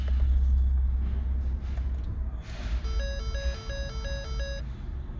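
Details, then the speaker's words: 2013 Ford C-Max hybrid that started once after a gasoline engine replacement, then would not restart: under the engine hum, a two-tone warning chime about three times a second; code shows the high-voltage disconnect circuit open. "the main code of concern here is the high circuit vol volage disconnection circuit open guys so that means there's a problem with that disconnect"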